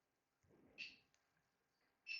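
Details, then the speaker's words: 1999 Volvo Penta 5.0 GI MEFI 3 marine ECM on bench simulator: shrill high beep that returns and holds steady when reconnected; injector driver likely shorted to power, reaching 8.2 volts, an internal computer fault. "you hear that it's kind of like trying to activate it might be shorter to power because it goes up to 8.2 volts so Yep this is definitely the problem inside the computer"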